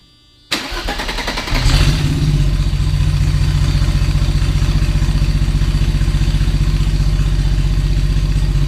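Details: 1990 Mercedes-Benz 300E, long-sitting, just after cleaning the fuel injectors: cranks, catches and settles into a loud, deep, rapid blatting idle with no muffling; catalytic converter and entire exhaust downstream were stolen, running far better than before.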